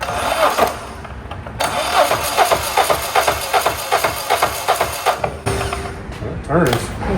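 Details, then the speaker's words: Diesel on a 1984 Peterbilt 359 build (onboard power source being added), cranked with jumper cables as ground: uneven labored beats at two or three a second with some compression kick but never fires; no fuel supplied yet. "Diesel's got some compression. That was kind of rough. Kind of got a little kick to it. Let's get some fuel."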